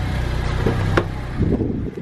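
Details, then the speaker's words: Honda K20 engine swapped into a car, first start after bleeding the coolant system: smooth, soft, even hum with no knocks or ticks, very quiet; normal idle. "all right let's see how quiet this thing is oh so quiet dude so quiet"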